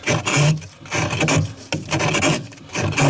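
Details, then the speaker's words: GE refrigerator, freezer iced up on the back wall, repeat offender: in defrost mode with heater on, a harsh rasping scrape about once a second as the evaporator fan hits the ice; defrost works, control board to be replaced. "It's going into defrost mode, and that noise that you hear is the fan hitting this ice."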